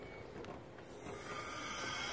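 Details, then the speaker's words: 2007 Ford 6.0 Powerstroke diesel with crank, no start when hot, engine off and shop air fed into the oil system: a steady high hiss builds and holds, air escaping at the high-pressure oil rail under the valve cover, suspected broken seals. "I know where the leaks coming from on this one is coming on this side of the high pressure oil rail so it's somewhere in this valve cover under there injector high-pressure rail leak or something"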